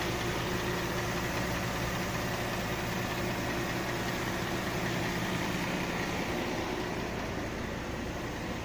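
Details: 2005 Mercedes ML350 at steady idle with a faint, loosely regular knock about 2.5 times a second under the engine hum; new engine knock, source not identified.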